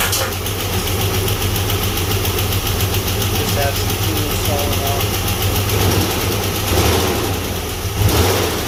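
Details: Chevy S-10 donor truck after ignition timing checked and plugs and wires refitted: low, steady idle, even, no misses or knocks; runs properly, though oil pressure weak and gas suspected in oil before oil change.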